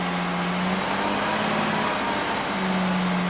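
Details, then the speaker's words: 2016 Audi Q7 3.0 TDI Euro 6 diesel after a preventive engine fix: steady, even fast-idle hum with no rattle or knock. The horrible rattle heard at 1500 rpm before the fix is gone; runs smooth and normal. "so the engine's running smoother already so um hopefully the video did pick up that audio before um and then you'll hear what I'm hearing but this is just sounding so sweet in comparison to where it was before"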